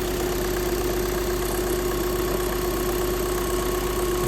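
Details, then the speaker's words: Skoda cold start, owner reports knock only when cold that disappears once warm; here steady, even cold idle with smooth hum and no knocking or ticking heard; normal cold idle. "Заводимо, будемо слухали. Ніц. Я нічого не чую, якщо чесно."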